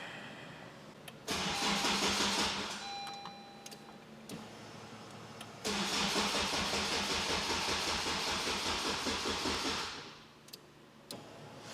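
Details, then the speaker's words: Car fitted with a Haltech ECU and a stock Type R start button: two long cranking spells at a steady three beats a second with no firing at all. The Haltech's green light goes out while cranking, so the ECU loses power and isn't running. "Yeah, that's the problem because the green light on the Haltech, as I'm cranking it, turns off, which means the Haltech is effectively not even running."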